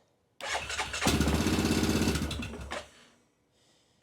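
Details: 2006 Yamaha Grizzly 660 ATV burning oil, about 3,500 miles and 556 hours, fuel on reserve, on choke in neutral, at its first start. The single cylinder catches after a brief crank, thumps unevenly at about four beats a second, then dies.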